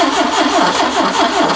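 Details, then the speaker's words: Ford Capri engine, revival of a long-sitting car, cranking: steady starter churn at about six pulses a second with no firing, breathing out the carbs; owner suspects an intake valve stuck open or engine out of time. "crank it over again yeah so it's probably out of time we'll uh or the or it's got an intake valve stuck open so i'll pop the valve cover off in the morning and see what's going on with the valves"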